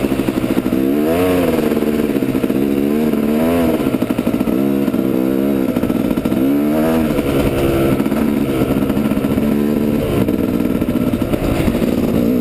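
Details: Yamaha YZ250 two-stroke on GoPro, clutch still slipping; new friction plates needed: crisp rasp surging up and down as revs flare without matching pull.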